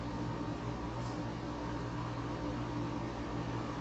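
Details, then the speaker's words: Dust collector hooked up to a new DIY downdraft table: a steady, even low roar with a faint constant hum and no knocks or rattles; pulling air normally. "Okay, I've got it hooked up. I've got my dust collector running. You can hear it."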